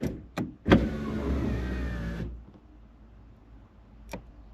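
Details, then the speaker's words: 1990 Toyota Space Cruiser (MasterAce/Tarago) passenger power window, previously not working: clicks then a smooth motor whir of about 1.5 seconds stopping cleanly as the window goes down and back up; the window motor works. "So if I stop talking, you may actually um hear the window go down"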